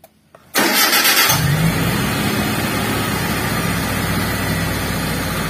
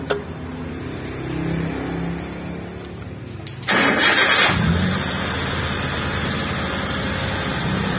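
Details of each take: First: T120SS fuel-injected car, complaint of rpm slow to drop or surging: cranks and catches, then a steady but fast idle held around 1100–1200 rpm instead of dropping; dirty idle speed control (ISC) valve, before cleaning. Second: T120SS fuel-injected, after cleaning and greasing the ISC (idle speed control) valve for a slow-returning, hunting idle: engine cranks, catches and settles into a smooth, stable idle; rpm drops back to idle quickly, normal.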